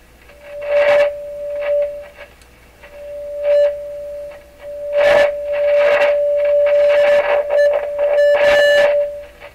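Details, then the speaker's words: Rogers 11RA651 shortwave tube radio, audio amplifier stages tested with a steady test tone fed into the phono input: clean, mid-pitched output at full volume with no harshness or clipping. The audio side passes, though output-tube bias appears low. "Sounds very good to me. I don't sense it's clipping or anything. Sounds really good."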